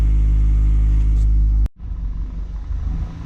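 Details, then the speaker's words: Honda CRX Si after Thermal 3-inch exhaust install, warm idle: smooth, even steady low beat for under two seconds before switch-off, after slight surging idle around 500–1000 rpm during warm-up; normal warm idle. "we don't have a little bit of tiny surging Idol from maybe anywhere from 500 1000 this is starts warm-up she's good to go"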